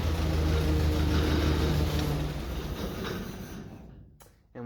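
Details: International 93 combine engine running after 15–16 years unused: steady, even low drone with no knocks or misses before winding down; good oil pressure, engine sound.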